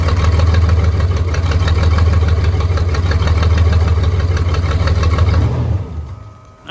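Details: Cat D6K dozer cranking with a steady heavy drone that never catches and winds down; no-start traced to one fuel injector stuck open, fixed by injector replacement.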